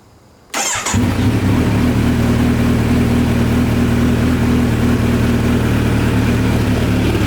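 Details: 2017 Kawasaki Z900 started after its first 600-mile oil change to fill the new filter: catches immediately and settles into an even, steady idle hum with a smooth, fast pulse and no knocks or ticks; healthy engine.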